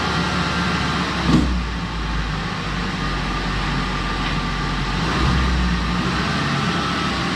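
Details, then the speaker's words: Mazda B2300 work truck after tune-up (new plugs, wires, intake manifold and valve cover gaskets), smoke cleared after start: even, steady idle with no misses, knocks or ticks; no check engine codes, smoother running, normal idle. "it's running a lot smoother and the drivability is a little bit better so um it's definitely gonna be a good little parts runner truck"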